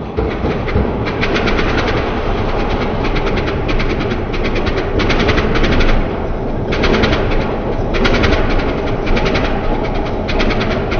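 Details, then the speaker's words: 1993 Ford Louisville L8000 diesel truck, first run after sitting about 11–13 years: loud diesel clatter idling steadily with rhythmic belt chirp overhead; engine even and healthy, normal idle. "It actually runs good. Everything's spinning. Everything is spinning."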